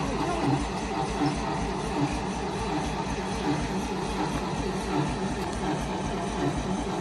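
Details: Carbureted 1955 Dodge M152 command truck, unused 15 years. Starter grinds the engine over at a slow, even rhythm of about 80 pulses a minute, never catching. Gas smell; owner suspects a flooded carburetor. Cranks but will not start.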